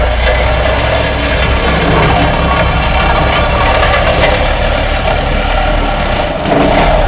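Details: Homemade skid-steer vibratory roller attachment built from a Case 252 roller front end, run on a Cat 226 skid steer's hydraulics with a bypass to freewheel; steady hydraulic drone and fast, even drum-shaking buzz with smooth pitch, normal vibratory operation.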